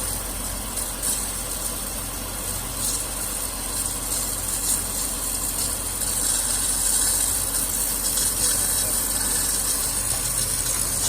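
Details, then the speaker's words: 2012 Nissan Maxima at idle with replacement A/C compressor clutch: steady scraping hiss unchanged with revs; clutch plate rubbing from incorrect air gap, may need more spacer washers or clutch will burn up. "Clutch is gonna burn up. You can hear that noise. It's rubbing right now. Might have to add some more washers."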